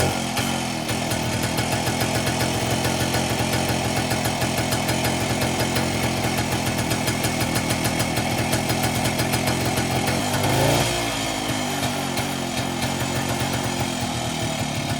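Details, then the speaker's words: 1961 Harley-Davidson Super 10 (165cc, 5.5 HP two-stroke), restored after a year of work: steady, quick, even buzzing idle without stumbling; sounds good, maybe idling a little fast. "running center, but it's finally got it idling. It might be idling a little bit fast. Still sounds like sound good."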